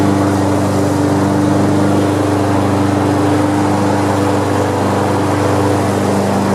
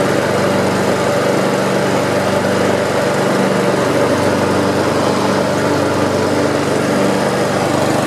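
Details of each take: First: Almost-new Honda HRX217 mower running after oil-leak work: steady engine hum while blades keep rotating even when they should stop; blade clutch not disengaging, adjustments to be checked. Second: Almost-new Honda HRX217 electric-start mower, previously leaking oil under the engine, stress-tested after repair with blade clutch checked: steady, even buzz with no misses, knocks or rattles; running smoothly, no further oil leak seen.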